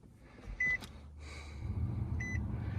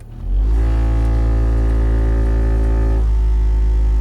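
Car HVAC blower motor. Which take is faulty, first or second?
second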